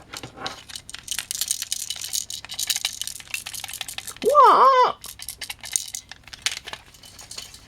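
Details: Vintage microswitch joystick before teardown: light, irregular plastic clicks and skittering rattles as the stick is shaken; a broken fragment is loose inside the case.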